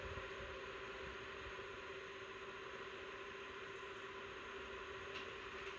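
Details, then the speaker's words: PowerColor Reaper RX 9070 XT graphics card fans at 60% (1851 RPM), recorded by phone about 5 feet away: steady high whine over airflow rush as fans ramp up; fan whine, not coil whine. "Okay, it's 1851 RPM. And that's 60%. You can definitely hear the whine in the background there."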